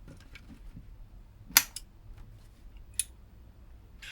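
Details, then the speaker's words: DAS 18A active subwoofer amplifier, powered through a current limiter with the speaker connected and no input yet. Two quick sharp relay clicks a fraction of a second apart at switch-on, normal; the amplifier then works after the repair. "I heard two relays click then did you"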